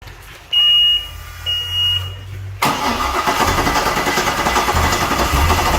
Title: Volvo Penta 5.7 GSi hard starting